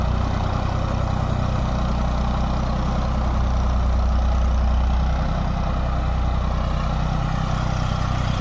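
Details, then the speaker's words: Diesel engine after diesel pump repair and setting: deep, even beat at steady speed, no uneven puffing or misfire; sound right and taking load properly. "देखिए हमारी तो तसल्ली होगी आवाज भी सही load भी सही ले रहा है"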